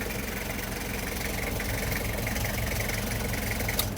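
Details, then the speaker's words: 1994 Toyota Hiace LH112 van, 2L diesel, no power steering, said to start easily hot or cold without preheating the glow plugs: steady even diesel clatter at idle, no misses or knocks; healthy idle. "เดี๋ยวติดเครื่องให้ดูนะครับเครื่องร้อนเครื่องเย็นติดง่ายตลอดนะครับไม่ต้องเผาหัวนะครับ"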